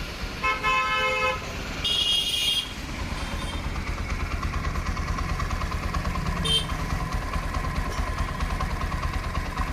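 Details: Bajaj NS 125 BS6 single-cylinder engine after fitting the timing chain, fixing noise from a loose timing chain tensioner: settles into an even, steady beat under a few horn toots, no rattle or chain slap.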